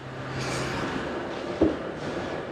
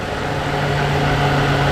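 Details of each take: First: BMW E92 325i N52 manual: idling engine with a steady low rumble/rattle underneath, owner fairly confident it's the dry drive belt tensioner/idler pulley bearing, fan also suspected. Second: BMW E92 325i manual with N52 petrol engine, idling after the engine rattle fix: smooth steady low hum, the earlier rumble gone; normal idle.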